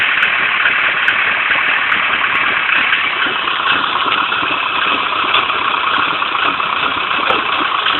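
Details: Nissan 240SX Silvia coupe, KA24DE engine: steady idle with hissy, slightly wavering note and small stumbles in the beat; rough idle.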